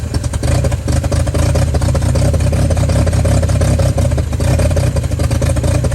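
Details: 1955 Chevy truck inline-six that sat about 30 years with a locked-up engine, now freed and running: a steady deep rumble with smooth, even firing and clean revs, no knocks or misses. Runs pretty good.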